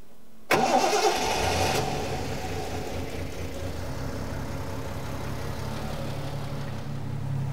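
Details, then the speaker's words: 1975 Triumph TR6 PI with Lucas mechanical fuel injection, warm engine: starter catches within a second, settles into smooth, even idle with soft steady burble and purr before mixture adjustment; normal start and idle. "sweetly now you can see when these are set up properly what a sweet engine this is um it's got a lovely Pur to it and the exhaust note is just beautiful"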